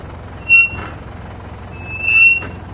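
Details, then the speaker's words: Mitsubishi Montero brake squeal: two sharp high-pitched squeals when braking while moving forward, none when reversing, coming from the rear; hardened, glazed rear brake pads. "Ngayon ang susunod kong gagawin diyan paandarin ko naman itong sasakyan niya paabante tapos tatapak-tapakan ko yung brake pedal. Narinig niyo 'di ba? May maingay"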